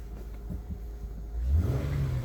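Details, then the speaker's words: 2013 Honda Odyssey petrol V6 said to have low compression, misfire earlier counting on cylinder three: idles low and steady, then revs up cleanly and evenly with no stumble, no misfires counted; new spark plugs planned. "we're not counting a single misfire um see misfires none"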